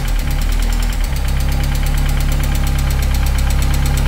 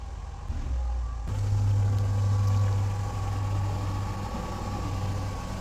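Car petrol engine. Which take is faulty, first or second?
first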